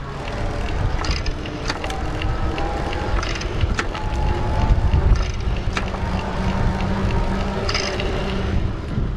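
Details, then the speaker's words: Gazelle Ultimate C8 HMB e-bike (Gates carbon belt, Shimano internally geared hub, Bosch Active Line Plus) coasting without pedalling: light irregular ticking rattle from the belt drive over tyre noise. Normal, harmless freewheel rattle. "the belt drive does make a kind of a rattling sound when you stop pedaling here i'll see if i can give you a listen to"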